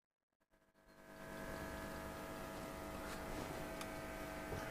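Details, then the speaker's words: Hacker Sovereign 2 RP25A radio that picks up no stations: as the set draws 90 mA and the voltage drops, a steady mains hum rises in the speaker, with no RF reception. "so it's drawing 90 milliamps so it's starting to conduct now so the voltage is dropping back down so we're getting the humming coming through again"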